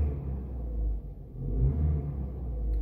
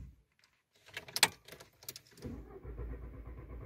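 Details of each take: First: Volkswagen Jetta A4/MK4 after fixing intermittent crank-no-start: starts well, deep even engine rumble with no misses, knocks or stumbles; check-engine light cleared itself after about 10 starts and a short drive; running normally. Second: Volkswagen Jetta A4/MK4, intermittent no-start especially after a short trip: key clicks, then a couple of seconds of steady starter churning that never catches and fades; cranks but won't start.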